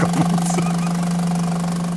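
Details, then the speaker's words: VW with new EGR valve but recurring faults and suspected coked intake manifold: steady low idle with constant hum and slight unevenness, judged fine though some engines run much quieter. "gut. Da gibt es manche, die sind wesentlich ruhiger, ne?"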